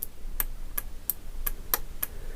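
Crisp single clicks about every third of a second on a quiet background; the relay pulls in and releases cleanly each time.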